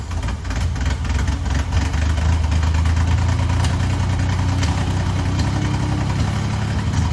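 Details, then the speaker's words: 1964 Chevrolet Corvair barn find, points cleaned, fuel bottle feeding carbs: low slightly lumpy steady idle, no knock or squeal; running on its own, ignition light off, generator charging. "The car is running on its own. The ignition light went off, so the generator might be working."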